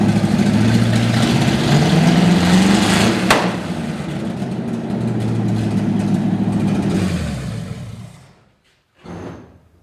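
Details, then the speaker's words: 1955 Chevy V8 stored 20 years, started cold: fast steady idle held up by the working choke, then shuts off cleanly. High idle on choke, normal cold-start behaviour. "well choke still works that's why it's idling so high yeah it's up on choke so it starts it shuts off"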